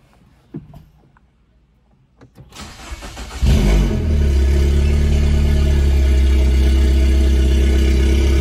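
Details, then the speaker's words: Recently acquired John Cooper Works Mini Cooper started in the garage: engine catches after a short crank and settles into a deep, steady, fairly loud idle; exhaust is somewhat noisy but smooth and healthy; normal idle. "Pakita ko rin sa inyo guys yung tambucho nitong Mini Cooper natin. So medyo maingay ha. Yung naririnig ninyo."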